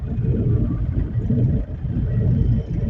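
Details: Toyota Innova driving at about 40–60: steady low rumble with slow wavering throb under road noise from the rear, traced to a worn rear wheel bearing.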